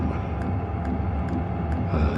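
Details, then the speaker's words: Hcalory 5-8 kW 12V diesel air heater, fan speed turned down: soft, even ticks about every half second over a steady low blower hum; fuel pump pulsing normally. "The pump is getting really quiet now."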